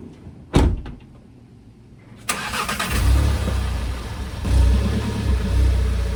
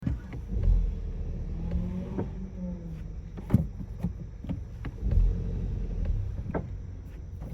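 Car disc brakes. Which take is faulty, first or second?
second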